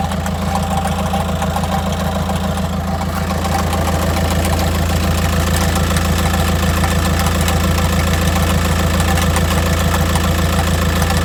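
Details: 2006 VW Jetta TDI BRM diesel with manual gearbox at idle: clutch pushed in for 10 seconds then released, when a steady low clatter with a clunky rattle underneath appears; clunking rattle at idle with clutch engaged.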